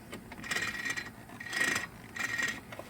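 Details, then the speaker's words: 2008 Honda Recon ATV, revived after 15+ years sitting, that shut off while running; three pull-start bursts each give a light, free clicking whir with no compression. Owner believes the timing chain broke. Engine turns over freely with clicking, no compression. "I'm sure you guys know what that is and what that sound is. So, yeah, it busted a timing chain."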